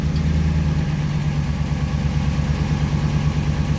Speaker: a slight tick in there it's not too bad [Music] you can hear a little bit of ticking in there this has got 51 500 miles it started ticking on cold starts at around 20 000 miles